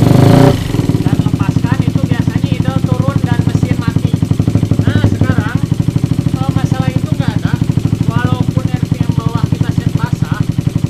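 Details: Single-cylinder with PWK 38 carburetor and trimmed pilot jet, no cable-strand shim: steady, even idle with regular firing pulses and a clean rev, no hunting or stalling; low-rpm carburetion now running right.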